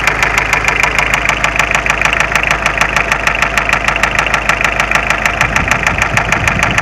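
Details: Mitsubishi Space Runner 2.0 diesel; knock and shaking began suddenly while driving, idle steady, starts tolerably; slightly loosening an injector made no difference. Hard, regular metallic knock at idle tracking engine speed, steady rattle over the engine; cause unknown.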